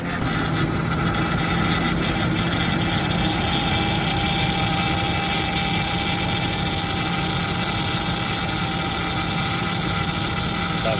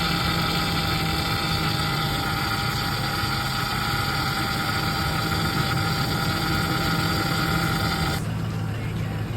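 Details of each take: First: Ford F-150 Triton 5.4 FX4 V8 at idle: faint constant power steering whine; owner suspects low steering fluid; after topping up fluid the noise disappeared and the truck ran silent. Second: Ford F-150 Triton 5.4 FX4 idling after topping up power steering fluid (owner suspected low fluid caused the noise): steady even engine hum with no pump whine or groan; steering now quiet and normal.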